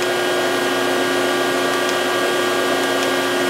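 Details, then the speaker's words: Excel CNC mill tool changer after replacing the leaking air cylinder: steady even whir through an efficient tool change, no stutter or clunk, with a faint hiss from a remaining air-line leak. "you don't damage something that was a good efficient tool change"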